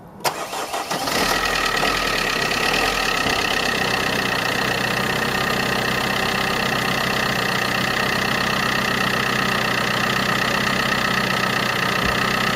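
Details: 2010 Vauxhall Corsa D 1.3 CDTI diesel after repairing a water-damaged ECU and clearing fault codes: short crank catches quickly, then settles into a steady, even idle with no knocks or misses; fixed, starts and runs fine.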